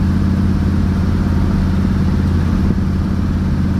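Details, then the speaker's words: 1967 Chevelle V8, worn engine with likely loose bearings, about 45 psi oil pressure, driving: steady low burble with an occasional sharp pop from a fouled plug on the driver's side (usually cylinder one or three), from oil control; the engine smokes a little. "Oh, and you hear that pop? There's a plug fouling on the left side. It's always kind of done that."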